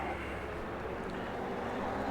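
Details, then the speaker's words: Polarna X-01 riding on pavement below seventh gear with knobby tires: steady even rumbling hum that holds with speed, no knocks or clicks; knobby tread road noise, expected to go away once tires are switched. "you ain't going to hear a lot of that once we get the tires switched out"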